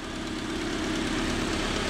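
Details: Honda Civic four-cylinder after rod knock repair (new half main bearings and one rod bearing cap): steady, even idle with a smooth low rumble and no knocking or tapping; bottom end sounds healthy.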